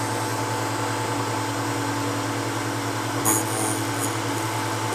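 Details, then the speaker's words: Drill bit sharpener with CBN wheel grinding a split point: steady motor hum with a light, even grinding hiss and brief scrape; normal grinding operation. "so let's do the split point and we'll take a close look at what the point looks like and you can see if you agree or disagree it doesn't grind a whole lot"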